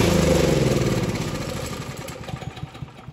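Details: Craftsman snow blower 536.881651, Briggs and Stratton 12A113 engine, after carburetor stuck-needle-valve repair: small single-cylinder fires and settles into a quick, even putter that gradually quietens, running smoothly on choke.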